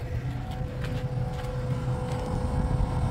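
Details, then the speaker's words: Trailer breakaway brake actuator running after its pin was pulled and a loose blue wire reconnected: a steady motor hum with a thin constant whine that never loads up, because the DOT 3 reservoir is bone dry. "I can feel the vibration and I can hear that the hydraulic brakes want to work of course they're probably not going to work cuz they're bone dry"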